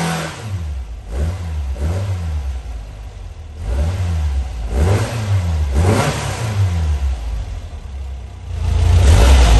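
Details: New 2275cc air-cooled VW engine, dual 44mm Webers, Engle 120 cam, after timing set, carbs synchronized, idle mixture adjusted and valves readjusted: throaty flat-four blips up and settles smoothly, crisp throttle, no misses or knocks.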